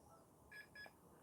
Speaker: we have a double beep hey zoom in on this so much way too much